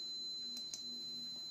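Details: Lagoon 380 catamaran whose batteries won't hold charge, with Volvo Penta D1-30 engines: thin steady tone near 4 kHz with a few clicks in a quiet cabin; warning beep, cause not confirmed.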